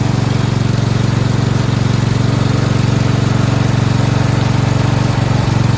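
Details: Four-wheel-steering lawn tractor "Rodimus Prime" with Nikki carburetor, after carburetor and fuel line replacement and ground fix: steady, even low single-cylinder putter with no misses, knocks or hunting, starts well; normal idle.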